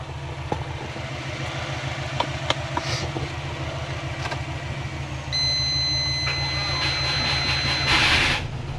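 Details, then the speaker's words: Subaru Forester jump-started off another Forester after a flat battery (three to four volts): engine runs low and uneven with stray clicks and a stumbling beat, like three cylinders. Owner is pretty sure it is flooded. "All right. So, now we have a different issue. Pretty sure I've flooded it."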